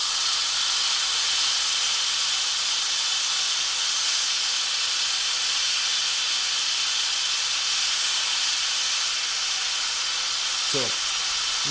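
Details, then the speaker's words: WMF pressure cooker, binaural recording, after heating with the valve set all the way back: a loud, steady high hiss as steam vents through the open valve. This is normal depressurising; the lid stays locked until the pressure is fully gone. "we have this all the way back you have to wait until the same pressure completely gone until it stops doing this and then you can safely open it"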